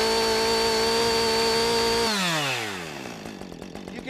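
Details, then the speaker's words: Warmed-up chainsaw high-speed (H screw) carburetor check at full throttle: high steady wail with slight four-stroking "sore throat" burble, not leaned out, then drops on release; normal full-throttle running. "can hear right away that it's got that dance or that little sore throat sound. It's not leaned out too straight or flat line, so we're good to go."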